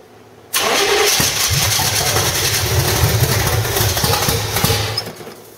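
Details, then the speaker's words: 1985 Stepside with headers, cammed motor with roller rockers, claimed 400 hp Corvette engine: long uneven cranking, then catches and runs rough and loud, slowly settling; gummed-up old carburetor slow to pass fuel. "that old carburetor is uh you know pretty gummed up and stuff so you know it took a little bit to get the gas flowing through there but definitely sounds good"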